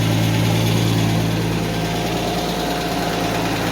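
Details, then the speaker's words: 1991 Mercedes 190E at idle with front exhaust section from headers to oxygen sensor removed: light fast ticking about three or four a second over engine hum; hydraulic lifter tick, later quietening down. "yeah that's the lifter noise that's a different story"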